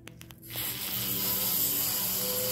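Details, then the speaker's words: Treadmill being refurbished, noise from the front: thin, very high-pitched squeal that gets louder and whinier with speed, from a dry, dusty drive belt; fixed by rubbing a waxy bar of soap on the belt. "it's a high pitch it's a very high-pitched squealing noise and the faster you go the louder sometimes the louder whinier it'll get"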